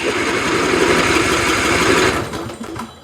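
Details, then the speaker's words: Troy-Bilt riding mower, Kohler Courage engine, on a charged 300 CCA battery: the starter spins over quickly for about two seconds with no firing; cranks but won't start, and the original carburetor was later found faulty. "She spins over, she won't start. So that's one problem out of the way."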